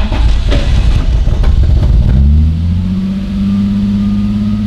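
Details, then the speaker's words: BMW E30 M3 Touring with overhauled injectors, new spark plugs, cheap crankshaft sensor: two seconds of lumpy cranking, stumbles into life, settles to steady idle; low fuel pressure suggested, cause unknown. Rough hard start. "Er ist jetzt zwar ein bisschen holprig angesprungen, aber es ergibt alles für mich momentan sowas von gar keinen Sinn."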